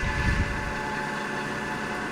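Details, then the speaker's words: LG front-load washer-dryer with a jury-rigged drain pump, because the owner thinks crossed wires fried the board's drain control: even electric hum with a faint low rumble, at ten minutes. The drum is pretty well drained. "draining it again we're at ten minutes and now it's pretty well drained"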